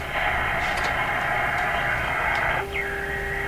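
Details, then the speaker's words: Canadian General Electric JK-66 radio during AM broadcast band alignment, tuned near 1400 kHz; steady hiss and crackle with a whistle sliding as tuned, noise swamping the station. Static interference on AM reception; cause suspected, not confirmed. "okay so unfortunately there's noise there but that's 1,400 there just by ear"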